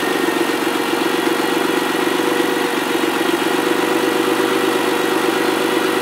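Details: Ford ST200 V6, first run after head gasket and timing chain repair: a smooth, even idle at a steady fast beat of about four pulses a second, with no knocks or ticks. Healthy.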